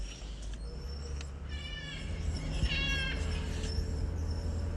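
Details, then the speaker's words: Dodge Durango (V6 or V8, about 60–64k miles) rolling slowly: short high-pitched squealing chirps come and go over low road rumble; initially unsure brakes or bearings, found to be the brake pad wear indicator squealing. "oh that sounds like brakes it can't be bearings well it can be bearing because i'm rolling"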